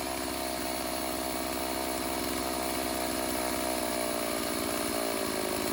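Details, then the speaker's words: Stihl AV 028 Wood Boss two-stroke chainsaw, formerly running lean and bogging on throttle, after a new fuel line and filter and initial carb tuning: a constant buzzing pitch with no sag or bog, running normally. "Alright everyone, so we went ahead, got it fired up and dialed in a little bit. We'll see how it sounds now."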